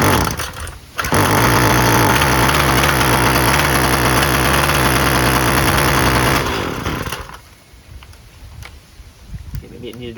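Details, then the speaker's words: Husqvarna 128LD string trimmer after carburetor replacement (previously barely ran, never off choke), regular 2-cycle mix, taken off choke after brief warm-up: steady fast idle, even and smooth, then drops away; healthy. "Maybe it needed to warm up a little more. Sounds good."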